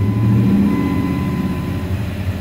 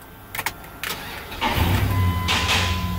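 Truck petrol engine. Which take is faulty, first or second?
first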